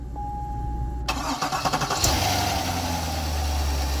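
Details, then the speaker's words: Starter cranks in brief, quick, even pulses after the new starter is fitted, then the engine catches cleanly and settles into a steady idle on a 250,000-mile C6 Corvette Z51 3LT. Start-up sounds much healthier. "Now, with the new starter installed, check this out. Sounds much, much healthier."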